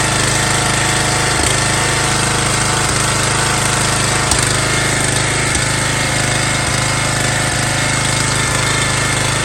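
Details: MTD Yard Bug riding mower left sitting for years at a boat storage yard, first start after a spark check and fresh gas: loud, fast, clattery small-engine run holding steady speed with no stalls or surging; running fine.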